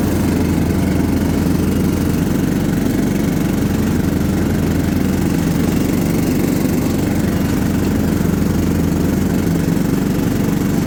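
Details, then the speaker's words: John Deere LT150 mower with replacement 15 HP Kohler engine, freshly swapped and mowing grass: constant low drone holding steady, no surging, knocks or stumbles; pulls the load fine. "all right she seems to do good we'll probably run it for a little while just burning all the oil off of stuff etc etc but uh she's ready"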